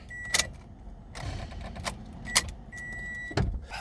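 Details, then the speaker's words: Toyota Corolla (2ZR-FE) no-crank: key clicks and a steady door-ajar chime but no starter crank, despite a new starter, new battery, new starter relay and checked fuses; power reaches the starter, cause unresolved. "all right here we go again little starting issue"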